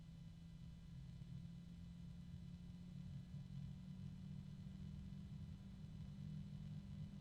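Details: Fan with a cheap bearing, turned up from its minimum (possibly well below about 800 rpm) and still very quiet: steady low droning hum over quiet airflow with a pair of close tones, resonances/harmonics as speed rises.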